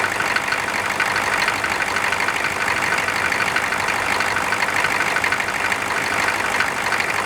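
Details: Air-cooled engine cranked cold with its fan just installed: an even idle under a steady fan rush with no clatter or stumbling. Normal idle.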